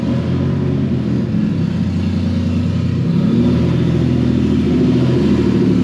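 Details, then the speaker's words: Turbo Nissan Z after a test drive that already had an oil leak: loud raw unmuffled booming note swelling with revs; owner is sure the V-band clamp exploded, disconnecting the turbo exhaust. "I don't even have to like look to see what happened I'm pretty sure the v-band just like exploded"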